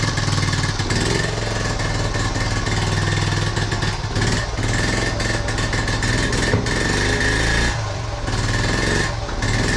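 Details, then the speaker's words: 1976 Honda Z50J1 Monkey just after ignition points work: it starts straight away, but the idle stumbles and drops beats irregularly while warming; still running badly. "Damn it! Still running bad."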